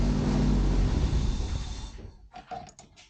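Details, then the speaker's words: 1988 Toyota Pickup (Hilux), off the road nearly 5 years, new fuel line, starting fluid used: engine roars at high revs about two seconds, then cuts out and coasts to silence. Owner thinks it ran on residual starting fluid and fears a failed fuel pump. "Well, she still runs. Oh, please, for the love of God, don't tell me I gotta do a fuel pump. See, Tina heard you. I think it was just residual starting fluid."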